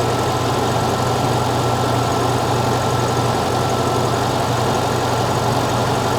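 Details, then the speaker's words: 1975 fuel-injected VW Beetle after intake boot replacement, cold start with idle raised: even steady idle with smooth low rumble, no misses or knocks; running normally. "I should be able to raise this idle some now. That sounds happy."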